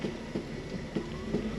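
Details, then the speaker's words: Mercedes E420 (M119 V8) after a manual transmission swap, running: low engine rumble with a light tick about three times a second and a faint rising whine, suspected from the throwout bearing and judged not harmful; the clutch reservoir was found empty. "you guys could hear the strange noise i'm sure on camera of the throw up bearing but it's nothing like doesn't sound harmful it's just a"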